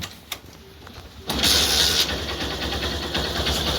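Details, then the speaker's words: Honda Shine 125 BS4 single-cylinder after compression repair with new gasket, bush and timing chain adjuster: brief quiet lead-in, then catches at once on first try and settles into a steady, even run; clean normal start. "Single start হবে, ঠিক আছে। গাড়ির কাজ complete হয়ে গেছে"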